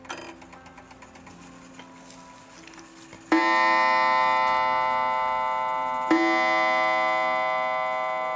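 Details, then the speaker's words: Mid-century German Urgos mantle clock, about 1955, attic-stored and dusty, checked before repair with its coiled gong by turning the minute hand to the hour: quick steady ticking, then clear ringing gong strikes with clean decay; hour strike works normally. "all right that is 6:00 well was 6:00 and as you can see on the front it's now 5 6 so that's a plus the strike seems to be working initially"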